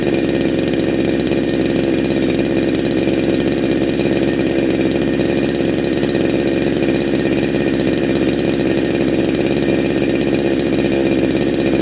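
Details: Neo-tec NH872 chainsaw (372XP clone), big bore kit, cold start on second heat cycle: steady, even two-stroke drone at constant pitch with no misses or rattles; normal running.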